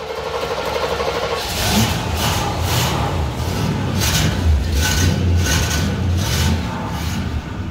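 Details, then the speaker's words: 1968 Oldsmobile luxury sedan with a Rocket 455 V8 on a cold start, loping unevenly with a stumble roughly every second and sounding close to stalling; rough idle, cause not confirmed. "Oh sounds like she's gonna die"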